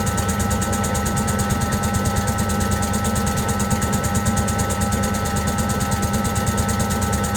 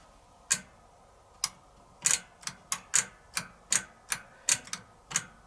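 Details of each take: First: Servis (Eudora) 386 compact 3 kg washing machine on spin: steady drum rumble with rhythmic ticking, about two a second, as it repeatedly retries to balance; spin comes late and short, an unbalanced spin with repeated balancing attempts. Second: Servis (Eudora) 386 compact 3kg washing machine with a single 550 rpm spin speed. Sharp, uneven clicks once or twice a second over a quiet background come from the mechanical timer cog being ratcheted round; it clicks 10 times faster on spin: normal timer clicking.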